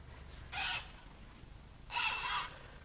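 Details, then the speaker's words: Nissan SR20DET short block turned over by hand, timing chain held up: bursts of sharp, chirpy squeaks from dry piston rings scraping rusted cylinder bores, with severe rust found. "that sounds bad oh i see a problem that's rust pretty pretty severe rust well relatively severe rust"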